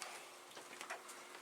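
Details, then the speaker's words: Commodore SFD-1001 IEEE single disk drive on a PET 8296, running a small test program: quiet, dry ticks at uneven intervals as the head seeks between tracks, spinning clean; normal head stepping. "if you listen carefully you can hear that it is going from one time to another"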